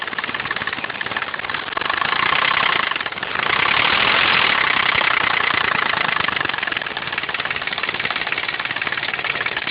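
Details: 164L engine running: fast, uneven knock about three to four a second, swelling on two brief revs; suspected piston or rod knock, unconfirmed.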